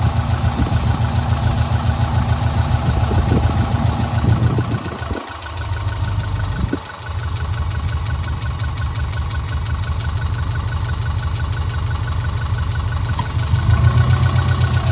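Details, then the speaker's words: 2004 Subaru Impreza 2.5RS with SRS stainless exhaust and new timing belt, heard at idle from the open engine bay: steady, even low boxer burble with no knocks or ticks; normal idle. "It sounds like it should. You know what it should sound like? You know it sounds like it should."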